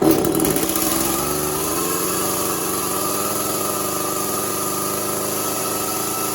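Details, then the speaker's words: Echo CS400 chainsaw after OEM oil pump replacement, before carburetor tuning: revs up then settles into an uneven, ragged buzz; running rough, owner suspects flooding and says it needs tuning, muffler mod and port job. "Do some tuning. Right now this all sucks. Needs a tuning, that might help out a little bit."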